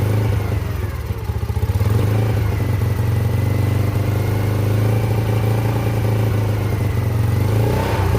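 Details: Yamasaki YM50 first start after carburetor cleaning and fresh fuel, battery connected, in neutral, choke off, little gas in tank: small single-cylinder engine runs with a steady low throb, picking up smoothly under light throttle; healthy, though throttle is sensitive.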